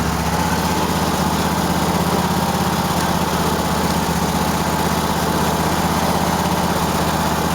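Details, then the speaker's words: Cub Cadet tractor small twin: lopsided, popping idle at about four uneven pulses a second, right cylinder missing only at idle, fine when revved; owner suspects carburetor dirt, spark plug or plug wires; misfire at idle. "It's just running like shit. Hear it popping a little bit, I don't know. Might be a speck of dirt in the carburetor, but as soon as you rev it up, it's fine."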